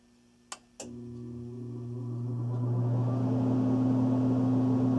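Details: HVAC blower motor started just after replacing its run capacitor: a click, then a steady hum that spools up smoothly over two seconds and settles to an even run; the blower is running normally.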